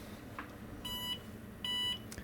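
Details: IBM PS/1 2133 486 powered on with a socket 4 machine's power supply under test: two short clear high-pitched beeps over quiet fan hum; normal POST, though the supply later shows coil noise at switch-off.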